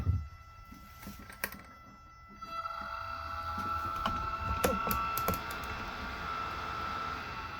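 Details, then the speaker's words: Cheap 12 V vent fan from a teardrop camper, run off a battery with a dimmer/rheostat: thin steady high whine with light ticking at low speed, stopping at higher speed; DC fan motor whine at low speed. "When you get up on a higher speed, the whine stops, but on low speed, so you can see a fan jump whenever it gets some juice."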